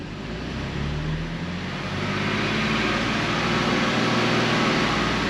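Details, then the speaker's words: BMW M2 Competition track build, first run after new transmission and oil pump reinstall, engine not on motor mounts: smooth, even idle firming up as it warms, light fuel-pump tick. Earlier tick, probably a dry lifter, gone; normal idle. "I mean overall it sounds all right it's getting better sounding tell you what it's a little shaky but it's not on motor mounts so it's hard to say idle is super smooth though it's getting way quieter"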